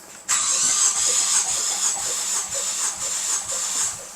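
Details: 2015 Ford Focus ST EcoBoost with a known coolant-burning issue, compression test while cranking: even beats about three a second with no lagging or quick strokes. Readings are about 140, 140, 150 and 155 psi, so the rings are sealing and compression is healthy and balanced.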